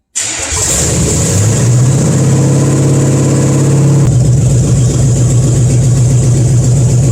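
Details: 350 V8, stored under a tarp for 20 years, swapped into a Cadillac and converted from TBI to a rebuilt carburetor with a new electric fuel pump. First start: brief crank, then a steady, even idle. Normal start.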